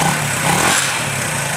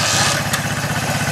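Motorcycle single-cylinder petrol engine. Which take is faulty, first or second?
first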